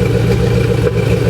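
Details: C4 Corvette at idle, front cats deleted with a 2.5-inch Y-pipe and Cherry Bomb glass packs: short bursts of exhaust popping. After a valve job, owner suspects an over-tight rocker arm holding a valve open and plans to adjust the valves while running.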